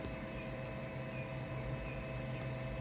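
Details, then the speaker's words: AllPowers S2000 solar generator after being run to absolute max load, now at 100% on solar: steady low cooling fan hum stepping down in pitch, pronounced but steadily slowing as unit cools; no burning smell; normal. "you still hear the fan it's quite pronounced but it's steadily slowing down"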